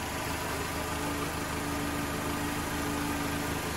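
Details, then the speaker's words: Mercedes 190E recommissioned after sitting in a yard, exhaust leak traced to the downpipe, not the manifold, now resealed: steady even idle with a smooth low burble, no ticking or exhaust puffing; sounds healthy and sealed. "What a lovely old girl though, listen to that. I don't know what you're hearing. Sounds beautiful."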